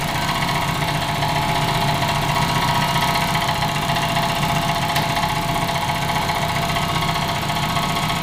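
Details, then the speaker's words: Freshly tuned 400 hp race Honda idling roughly after repeated launch control: a fast, uneven tick of about four per second rides over the engine, never heard before; internal fault suspected, cause unknown, not the tune. "He's never sounded like this before. One thing is certain, launch control isn't very good for your car if you do it too many times in a row."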